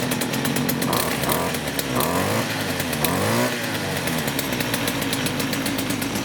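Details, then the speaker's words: STIHL FS56 trimmer after repair of a loud squeal traced to the clutch: small two-stroke idles and blips smoothly, revs rise and fall cleanly, no squeal, head no longer turns at idle; normal running. "So that did the trick, guys. The reason I was showing the head there in the video when I just started it now is because if you noticed, it was not spinning at all."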